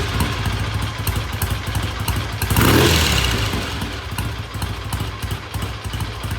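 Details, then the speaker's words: Vintage British motorcycle after repair work, with an even, steady thumping idle and one quick throttle blip that settles straight back; starts and idles well, normal, pending a test ride. "all right black sounds good starts good idle's good I'm going to call it good pending a um test ride which we may do tomorrow"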